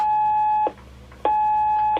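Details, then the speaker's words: One-watt 27 MHz radio on the bench, transmitting over 3 W and reading 27.20428 instead of 27.205: steady high beep of about half a second, repeated twice; the call tone works, though receive audio is lacking. "so cool tones working okay"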